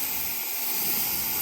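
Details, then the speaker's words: Truck air brake pipe below steering-wheel corner, under bonnet: steady high hiss of compressed air escaping, stops when finger covers spot; leak likely from two pipes rubbing together. "Now I know that this sounds like it's coming from like this area, so all I did around these air pipes here, I felt my hand all around them just to try and find where it's leaking from, and eventually, yeah, I found it there."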